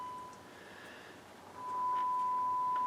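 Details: Harman Kardon HK3600 receiver with failed capacitors, test tone input: faint steady tone near 1 kHz comes through very quietly on the left channel, then a louder tone; weak channel output.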